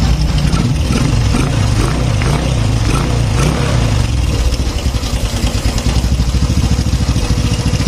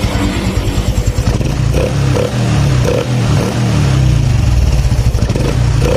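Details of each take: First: Honda Supra X 125 fuel-injected single on first start after tune-up and reassembly, fresh oil: busy fast metallic top-end rattle over idle; slack cam chain, tensioner not yet filled with oil. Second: Honda Supra X 125 fuel-injected single after tune-up, air filter not yet fitted, cam chain tensioner now filled with oil: quick, even exhaust beat with no tapping; normal idle, chain quiet.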